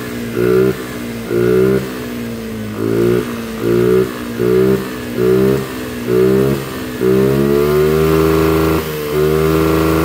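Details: Carbureted Honda Vario scooter, engine just rebuilt after a late oil change scored the piston: it won't idle and stays alive only on repeated throttle blips, sagging between them, with smoke from the breather hose. Low compression and blow-by.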